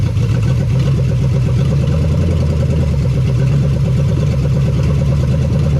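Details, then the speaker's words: 1975 Chevy Nova, stock engine, first start after sitting about 30–35 years; no fan or belt fitted, water pump seized. Deep, even V8 rumble on open headers, no knocks or ticks, idling high from vacuum leaks; possibly a seized throttle cable. "And we have a bunch of vacuum leaks, so she wants to idle nice and high, but I know where those are."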